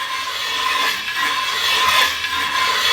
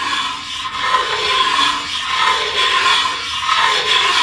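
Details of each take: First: Hand-turned ridge reamer in an engine cylinder bore: the blade slides freely, then gives a dry, uneven metallic rasp with slow scraping strokes as it shaves the worn ridge at the top of the bore until the ridge is gone. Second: Ridge reamer turned by hand in an engine cylinder: rhythmic dry rasping, about one stroke per second, as the blade slides up the bore and cuts the cylinder ridge.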